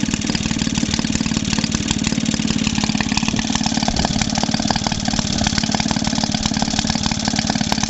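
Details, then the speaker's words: Maytag Model 72D washing-machine single-cylinder engine after repair for no-start: popping about three beats a second, slightly irregular and hunting while searching for the best-running adjustment position. "Still can't find where she'll run the best though. Certainly not where she'll run the best."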